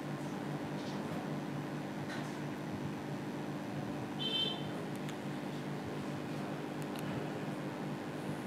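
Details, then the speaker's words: Hitachi AC indoor unit blower motor controlled by its PCB, which has a slow-motor fault: quiet, steady low hum with even tone and no knocking; motor runs smoothly but too slowly. "this PCB has the problem of motor slowing down, Indore motor has become slow and today we will speed it up"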